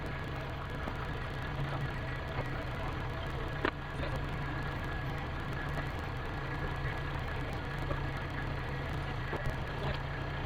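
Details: Kubota L-series diesel tractor just after its power steering pump repair, with loader hydraulics reconnected: even, steady diesel drone at idle with a constant low rumble and no knocks or stumbles; it runs healthy.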